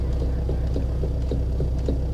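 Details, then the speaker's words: Scion FR-S (GT86/BRZ) at engine idle, wheel turned back and forth: dull clunks in the steering column from a worn electric power steering motor bushing that may be starting to crumble; the bushing is then replaced. "Okay, for starters, as I understand it, if you turn the wheel back and forth and it makes a clunking noise, your steering motor bushing is probably no bueno."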